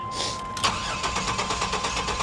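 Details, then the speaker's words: Lincoln Town Car Jack Nicklaus edition, long-stored auction car, on a jump start. Overfilled oil is suspected not to be all oil. It has fuel and good oil pressure, and the starter cranks evenly at about seven pulses a second, but it never catches: crank no start. "shows it's got gas it's got good oil pressure it's a good sign it sounds like it's cranking pretty healthy maybe dog wigging a little bit"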